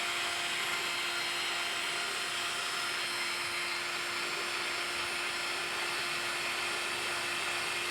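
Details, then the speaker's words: Used grease tool for trailer axle bearings: a steady high motor whine with no rhythmic piston "cha cha" clicks and no grease coming out. The motor spins without pumping; the owner thinks it is broken. "You don't hear the little piston going up and down. Usually it's going cha cha cha cha cha cha. Just sounds like the motor's going. I think this is broken."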